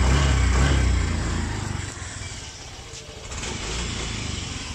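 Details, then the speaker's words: Motorcycle engine previously run dry of oil, refilled; noise now mostly gone after work: revs up cleanly then settles, even steady exhaust beat with no knocks or rattles; normal revving. "Medyo hindi na siya maingay, di ba? Narinig niyo ba? Pakinggan natin ulit Medyo nawala. Di ba? Medyo nawala ang ingay niya."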